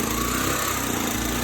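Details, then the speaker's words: Briggs & Stratton-type small engine running on old bad gas with cleaner added: fairly steady buzzing drone with faint wavering, as if labouring; struggling to keep up, a plugged carburetor fuel port suspected. "Boy, it's struggling to keep up. One of my ports, the ports where gas flows through is plugged."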